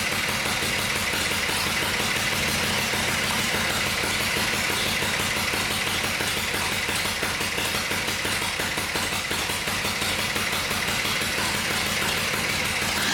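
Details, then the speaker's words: Harley-Davidson Shovelhead just after rebuild and final assembly, heads freshly torqued: loping, uneven potato beat about three pulses a second with light valvetrain chatter; healthy idle, head torques to be rechecked after cooling. "But it sounds good, and I'm pleased with that. It sounds good and it looks good."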